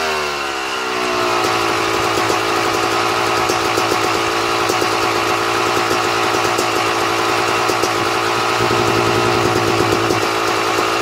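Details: 2009 Yamaha YZ250 two-stroke dirtbike, idle after adjusting air (pilot mixture) screw: crisp, even idle with steady rapid popping, starts slightly high then settles a tiny bit lower and holds without hunting; air screw correctly set, normal idle.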